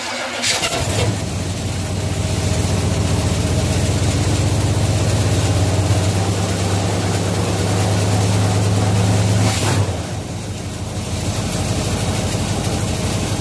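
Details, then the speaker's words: 1967 Chevelle cranks and catches within a second on its original 1967-era wiring (minus front clip), first start since 1977 after cleaning a bad ignition switch connection; settles into steady, even low idle rumble, about 40 psi oil pressure, not yet charging. "so this will be the first start since 1977 with its original wiring minus the front clip"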